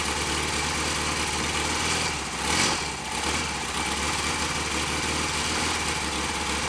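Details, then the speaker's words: Royal Enfield Constellation twin, cold start after standing over the weekend, fast idle at full advance: ragged firing with occasional spitting back through one carburettor; owner turns that side's mixture screw in. "I might turn the mixture screw in a little bit on the one we're spitting back a little bit below the edge of this Co yeah I didn't expect it to tick over"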